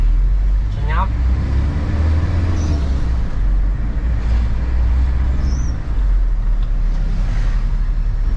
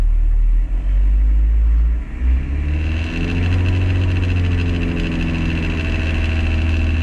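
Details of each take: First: 2003 Toyota Kijang Kapsul LGX 2L diesel after gear lever bushing repair, road test: steady low diesel drone, no rattle or buzz from the lever that previously vibrated above 2000 rpm; lever firm, no play. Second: 2003 Toyota Kijang Kapsul LGX with 2L diesel, engine above 2000 rpm: idle rises to a steady drone with a buzzing rattle; gear shift lever vibrating loose in its housing, fixed by replacing the lever bushing.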